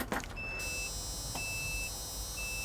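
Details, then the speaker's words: Arbos 3055 tractor start interlock: steady high-pitched beeps about once a second because gear is engaged, tractor won't start; beeping stops when gear put in neutral. "adesso, il trattore ci informa cigolando che qualcosa non va e non avvieremo il trattore"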